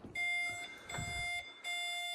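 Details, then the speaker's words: 2020 Tesla Model S Long Range Plus power trunk: button press gives three even high beeps, each about half a second, and the lid won't cinch closed; failed cinch motor and trunk latch, to be replaced. "So we've got the trunk open here, and if you hit the button, it gives you the 3 beeps."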